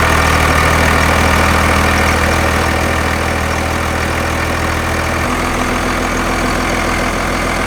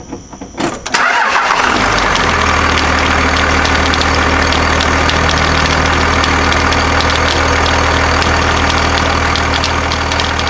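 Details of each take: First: Second-gen Cummins diesel truck after replacing the belt tensioner, found to be the cause of the belt problem; AC compressor kept, old tensioner's bearing felt slightly rough. Firm, steady idle settling evenly, no belt slap, chirp or squeal: normal belt drive. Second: Second-gen Cummins diesel after a new belt replaced one that shredded: it cranks and idles with a rapid irregular slapping as the belt flops on the pulley. The owner suspects higher ridges on the AC compressor pulley delete bracket.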